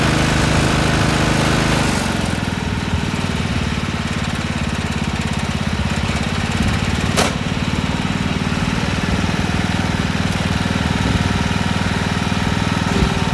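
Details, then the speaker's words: Massey Ferguson 7 lawn tractor bought at auction, first run after sitting many years: steady, even single-cylinder thump at idle with no misses or knocks; running cleanly. "all righty now we're talking here let me turn off my microphone so you can hear the motor and not my"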